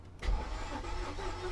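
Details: Mercedes S55 AMG, Copart car, cranking with a battery jump pack attached: brief burst of starter cranking that never fires; no fuel, fuel pump dead.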